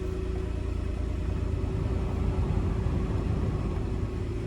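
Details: Toyota Alphard that would not start, started by touching the key to the reader for the chip; blown fuses are blamed. Steady low rumble holding an even beat without stumbles or rattles: normal idle.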